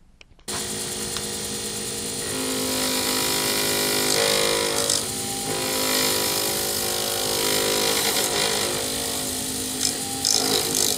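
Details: Wood lathe turning a D-shaped circuit board blank for a Sierra pen, ends pre-turned to bushing size: steady, even hiss of the gouge with constant motor hum, no chatter or catches; a clean cut with very little noise and shavings coming off in ribbons.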